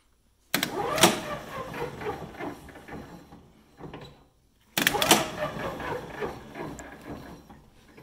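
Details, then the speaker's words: Old golf cart converted from lead-acid to lithium power, first power-up test: the pedal is pressed, giving a sharp contactor clack and then a fading motor whirr, twice about four seconds apart; the contactor closes and the motor spins normally. "so i'm gonna press this pedal right here and as i press it you hear the motor turn so that's this contactor is closing"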